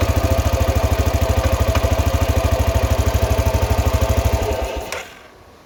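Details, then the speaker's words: 2000 Arctic Cat 500 4x4 ATV, Suzuki 500cc single with a used replacement crank, idling in neutral with the transmission broken; steady, even thump about three beats a second, no knocks or misses, then shuts off; runs healthy. "Run's fantastic so bottom end complete transmission broken"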